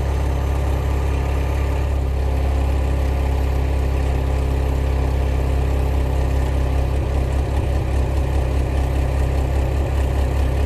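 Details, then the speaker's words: Renault Mégane rejected at technical inspection for exhaust fault, after exhaust repair: even, steady idle with smooth low beat, no puffing leak or tapping against the heat shield; normal idle, then passed inspection. "je ne sens pas de fuite même à la fédération on n'a pas de bruit d'échappement pantaleo la voilà ben là on est bien on est très bien aucune fuite"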